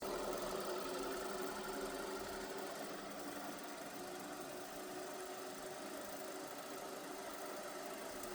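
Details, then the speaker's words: Steady rough grinding with a knock about four times a second from a running device: the bottom bearing sits in the groove of the other bearing so the balls touch. Bearing grinding noise. "Yeah, it's loud, but that's just because this bearing on the bottom is uh in the groove of the other bearing. So, it's like the balls are are touching. Got it. So it's just like you're grinding."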